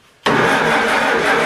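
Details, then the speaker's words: Farmall Super A tractor after a tune-up with new points, condenser, plugs, wires and cap; carburetor leaking, choke possibly stuck: steady starter churn, turns over but never fires; owner suspects no spark, possibly the coil. "all right now we need to take out one of these plugs just to see if we're getting a spark up there it could be our coil"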